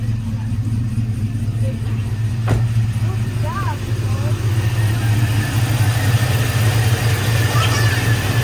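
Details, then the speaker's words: Cammed GMC truck after alternator and electrical repairs, started on the third try: steady low rumble with slightly lumpy cammed pulse, no knocks or squeals; voltage correct, normal idle. "okay whoa third time with the charm we got it running yes sir voltage looks right everything looks good"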